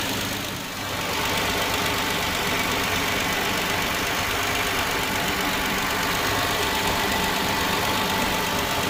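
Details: Hyundai Genesis 3.8L engine, first start-up: a busy metallic rattle over a steady idle; cause not yet known.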